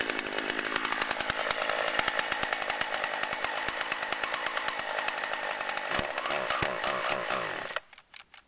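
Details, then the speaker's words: Chainsaw running on old stored boat and chainsaw gas, cutting wood: a dense, high-pitched two-stroke buzz holds steady through the cut without bogging, then cuts off cleanly. Normal running under load. "CH knows what it's doing say fuel mixing was a success it's is running right fine sounds good"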